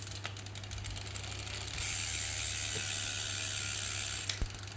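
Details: Brompton 6-speed hub, pedalling through different gears: light, quick ratchet ticks broken by a smooth buzzing whir. The clicking was described to the owner as normal.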